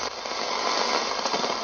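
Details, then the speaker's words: Soviet Sokol-4 multiband LW/MW/SW portable radio, first power-up: an even, steady speaker hiss with no crackle or dropouts. The radio is powered up and working normally. "So let's turn it on for the first time. I didn't do it. Yeah, it produces a noise."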